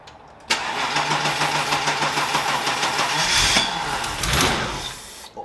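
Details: Barn-find BMW E30 323i Baur, first start after 10 years sitting, near-empty tank: starter cranks steadily ~5 seconds on starting fluid, fires briefly but won't run; pointing to no fuel delivery.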